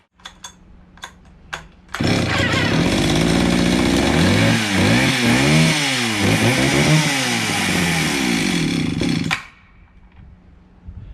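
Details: Circa 1974-76 Stihl 031 AV chainsaw, unused about 5 years, after carburetor cleaning, air cleaner refitted, recoil needing work; few cord pulls then catches, runs strong and crisp, revving cleanly before shut-off; healthy two-stroke.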